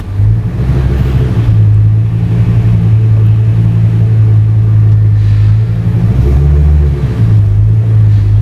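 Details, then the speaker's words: 2002 Ford Excursion 6.8L V10 after replacing an ignition coil and plug: deep, steady idle in gear, brief dip and recovery under steering load, no longer stalling; fixed, normal idle. "okay so now the problem is fixed and it's not stalling that's why we was hired is to figure out why the car is stalling the coil and the plug fixed the stall"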